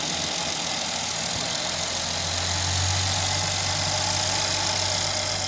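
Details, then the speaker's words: 2016 Mercedes GL450, M276 engine, after correcting a shifted cam trigger wheel (P0011/P0016 timing codes), codes cleared and trigger wheel learning reset: starts right up into a smooth, even idle with no ticking or stumbling; timing back in line, fixed. "So starts right up. We saw in the scope capture that the timing is back in line. This vehicle is now fixed."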